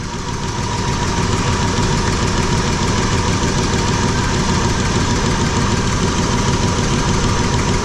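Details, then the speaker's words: V8 at idle after installing new spark plugs and wires (old ones showed carbon tracking from dielectric grease): light ticking about three per second up in the valve covers, owner suspects rocker/valvetrain, sewing-machine-like, not confirmed. "sounds like I got something wrong with rocker or yourself"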